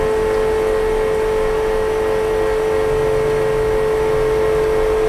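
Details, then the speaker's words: Commercial pressure fryer oil filter pump, switched on by lowering the valve, pumping filtered oil back up from the tank. A steady, even mid-pitched hum with a low motor drone and no knocks or surges; normal pump operation. "Kita kena turunkan valve ni untuknya hidupkan ataupun on dia punya valve untuk dia pump. Okey, dia akan bunyi macam ni."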